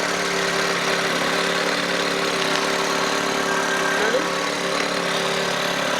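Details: Lincoln Navigator 5.4 engine recently unseized, first crank and start: steady, even idle hum of constant pitch with no knocks, misses or hunting; running properly.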